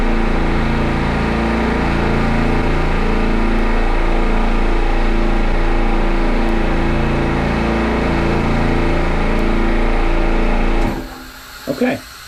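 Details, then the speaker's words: Midmark Power Air dental compressor after fixing an air leak at the pressure switch, timed pump-up starting over 80 psi: steady, even piston chugging about four beats a second, no knocks or labouring, clean shutoff at 25 seconds, a healthy pump-up. "all right so we're at 25 seconds which means every time this compressor turns on"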